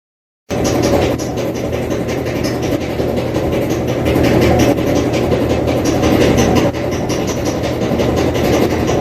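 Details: Kenmore Elite HE3T dryer (M#110.85876401) running: steady roar with a quick repeating thump, about three or four a second, from bad drum rollers (at least one); rollers, belt and tension roller were replaced.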